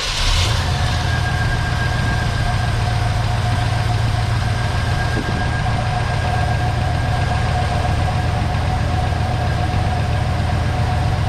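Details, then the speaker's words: 1970 Chevy C10 with a 305 small-block V8 idling after a bent pushrod was replaced to cure a lifter tap or ticking noise, with new valve cover gaskets fitted. A smooth, even rumble with no ticking, good oil pressure, and firing on all cylinders; normal idle. "good oil pressures they're pretty healthy there it all sounds pretty sounds like it's hitting on all those Banks over there"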